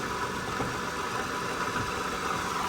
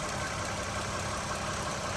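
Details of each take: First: 2013 Toyota Sienna Limited V6 at idle, heard in engine compartment: steady idle with constant rough whirring hum, worsening over weeks; worn water pump and idler pulley bearings, replaced preventively before failure. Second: 2013 Toyota Sienna Limited at idle after replacing water pump, idler pulley and serpentine belt: steady, even idle with no squeal, chirp or bearing rumble; noise gone.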